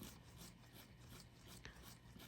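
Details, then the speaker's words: VW MK7 GTI Southbend Stage 3 Endurance clutch, removed failed throwout bearing spun by hand: a dry, gritty rasp instead of a smooth spin, from grime and oil inside; bearing rough and worn. "as you just heard me mention the throwout bearing is definitely worn let's get a close-up on the hearing it doesn't even like turn smoothly"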